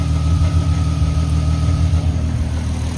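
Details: Mk5 VW R32 idling steadily and evenly just after thermostat housing and crack pipe replacement and coolant refill, with coolant circulating and no ticking, knocking or misses; normal idle.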